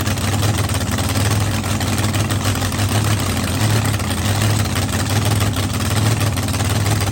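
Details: Blown V8 running at night: deep, even burble holding steady speed, no misses, ticks or knocks; settled idle, no leaks, assembly lube melting off the hot head.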